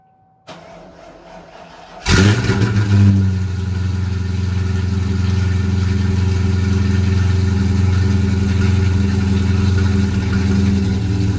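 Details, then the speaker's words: V8 car cold start at about 50°F with aftermarket mufflers; cranks, catches, settles into deep idle rising and falling slightly; rolling surge only when cold, cause not yet found. "All right, so it's like 50 degrees out, and this has got a little rolling surge at first when it first starts up when it's cold. I don't know why it does that."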